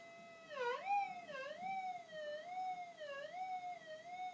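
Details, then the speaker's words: Minelab GPX 4500 detector, normal mode, gain about halfway, small gold ring at about 45 cm: clean wavering tone rising and dipping as the coil passes; normal target signal. "Now this is in normal mode. Oh God, there we go. Probably up at about 45 centimeters. Okay, small gold."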